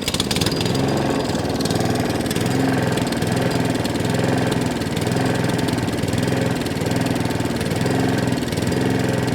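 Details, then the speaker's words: Allett Kensington cylinder mower, Kawasaki FJ100 engine, revs hunting and surging up and down every couple of seconds, carburetor arm moving; generally means a fuel delivery problem. "as you can hear the reds are dropping up and down there's a slight mist in the machine"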